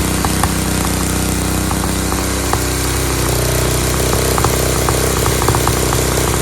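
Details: Dayton lawn tractor's 11 hp Briggs single-cylinder, started on its own with choke, runs steady with clean even beat, no misses, idle slightly high with a spring disconnected; healthy, just set fast.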